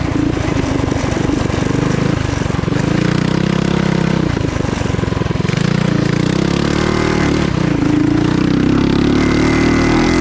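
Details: Trail Master MB200 mini bike with stage 3 223cc single-cylinder, after swapping rubber engine-cradle bushings for metal slugs: pulls hard with steady climbing drone, no chain skipping, clatter or jerking; drive healthy.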